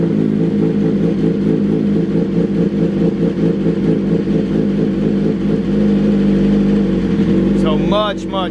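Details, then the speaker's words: 2022 BMW S1000RR after custom dyno tune on pump gas, cold start warm-up: fires and holds a fast, even high idle with steady exhaust pulse, pulling down slightly near the end, improved over OEM startup; healthy. "it is going to start high but give it like a few few seconds and you'll see it'll start to pull down versus how the OEM uh the OEM setup does"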